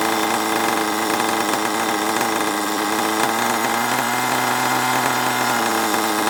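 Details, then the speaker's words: HPI Savage 21 nitro RC monster truck, old and long unused, after needle leaned out and further tuning: high buzzy engine at a fairly even speed, slightly unsteady but running cleanly enough; still needs a good drive. "that's a quite a good result at least it runs right now ish needs a good drive"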